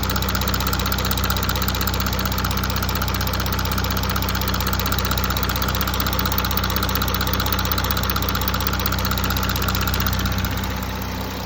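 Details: 2017 Audi A5 3.0 TDI Quattro 218 PS diesel at idle: steady fast regular ticking, about two to three per second; owner suspects a failed timing chain tensioner, cause unconfirmed.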